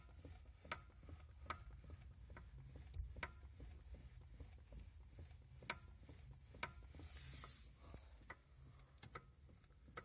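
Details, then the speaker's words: Lada Granta at 6,339 km, engine running: sharp, irregular metal-on-metal knocks and crunching from the electric power steering unit, heard periodically against a quiet background. "электроусилитель руля тухнет вот звук как похрустывает начало подх простыть Ну вот периодически его слышно"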